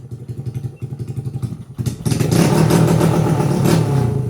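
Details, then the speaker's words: Honda XR80 engine in a shifter kart, kick-started with a little choke; crisp single-cylinder putt about four beats a second, then a clean rev climbing and holding high, around 10,000 rpm; runs strong like a little race car. "Oh, it sounds so good. It literally sounds like a little race car. 10,000 RPM on this little engine."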